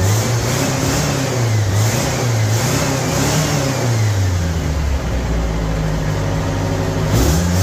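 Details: 1975 MGB four-cylinder, project car just brought back to running, now firing evenly on all four cylinders: steady note climbing and falling cleanly with throttle, no misfire stumble; runs much better than when missing.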